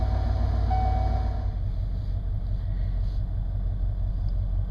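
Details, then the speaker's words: Ford 302 V8 in an old, worn 4x4 pickup after an oil pump replacement for low oil pressure: steady hot idle at 600 rpm with about 20 psi, 20 psi higher than before, with no ticking or clatter, sounds healthy. "and there we have it hot idle 600 RPMs and we're at what 20 psi or so which is plenty and it's 20 psi higher than it was when I started the project"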